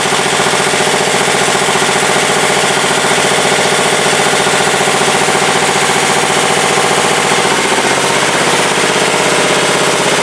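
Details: 1967 Sears Suburban 10 tractor, single-cylinder, after repairs during charging checks: steady even running, pitch dropping slightly near the end; the owner suspects running revs too low behind the plow undercharges the battery.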